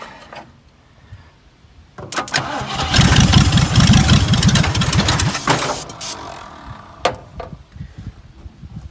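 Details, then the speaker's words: Dirt-cheap Ford Fairlane that sat in dirt, cranked by jumping the solenoid with starting fluid; about four seconds of loud, rough cranking that hangs on without catching, then cuts off; owner says the starter sounded stuck. "starter sounded like it's stuck"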